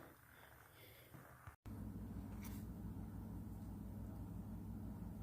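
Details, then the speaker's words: 1995 Honda Civic hatchback while driving: a low, even whum-whum pulsing about three times a second under road noise; owner suspects the rear brakes or a rear wheel bearing, not yet confirmed. "For now, I have to, sounds like either rear brakes or rear wheel bearing. So, I gotta get that, figured out."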